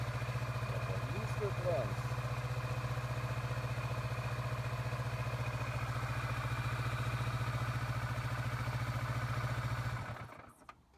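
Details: 2017 Kawasaki Vulcan 650S, which would not start after a botched ape hanger wiring extension, now runs; steady twin-cylinder idle thumping evenly at a few beats per second until switched off, no misfire; normal idle.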